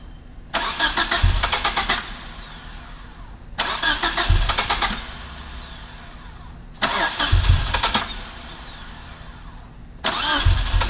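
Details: 1G DSM with rebuilt top end, running rich with idle surge and a failed TCU: four cranking bursts of about three seconds each, none catching cleanly into idle. Hard start, owner seeking fuel-air ratio help; cause unconfirmed.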